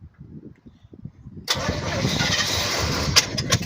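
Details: Engine not started in about two years, fresh fuel filter, transmission fluid being added: quick crank, then catches and settles into an even steady run with no knocking or tapping; clean healthy cold start.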